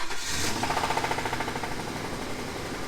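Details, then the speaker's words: Police prisoner transport van long sitting, jump-started, after adding fuel stabilizer: engine running with a loose, uneven knock of about three or four beats a second over the idle; knock about the same, cause undetermined. "since she's been sitting for so long she has like this suspicious knock on it go ahead and start her up you hear that oh that's not good"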